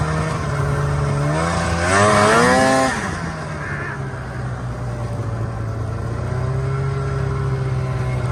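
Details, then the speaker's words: ZL550 snowmobile (owner calls it a 550) after no-start repair; had spark, fault was a fuel problem: crisp rising whine revving up cleanly, then a steady even drone with no misses, pulling hard; normal running under acceleration. "you're right something it just makes you smile you're right it does rip from 550 that's pretty quick"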